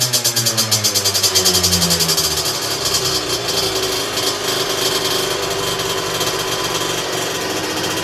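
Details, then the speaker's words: Two-stroke on a dyno bench with a 17.5 mm carburettor, fully set (main jet, air mixture screw, needle): the buzz climbs and falls cleanly with the throttle, then holds a crisp, even high note. Normal carburetion. "tu vas te rendre compte que à la moindre sollicitation de poignet le moteur tout de suite il est explosif à aucun moment il nous met des à-coups un peu bizarre"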